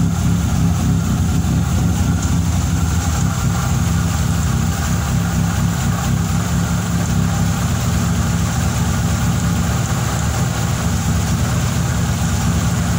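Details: Fiat Tempra 2.0 16V just started cold: loud heavy low-end drone, revving then idling; excessive engine noise, owner suspects rod bearing, piston or a bearing, source unconfirmed.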